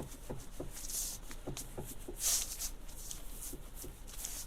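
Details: 2014 Kia Ceed steering column knock on small bumps, only when the wheel is adjusted above its lowest position; dull irregular knocks as the wheel is rocked, free play suspected in the tilt adjustment mechanism.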